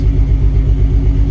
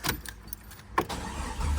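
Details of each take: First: Jeep XJ bought as a junk truck: deep, steady idle rumble with an even beat, no knocking or ticking, good oil pressure; running normally. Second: Jeep XJ junkyard rebuild with the fuel pump jumped to run: quiet clicks, then a steady low churning crank with an even beat that never catches; crank no start, owner suspects the crank sensor, which he plans to replace.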